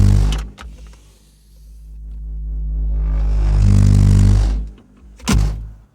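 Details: Car audio system: every time a nearby speaker is moved it interferes with the subwoofer amp, producing deep rumbling surges that swell and cut off in uneven bursts as if the sub were driven at full power; cause unclear.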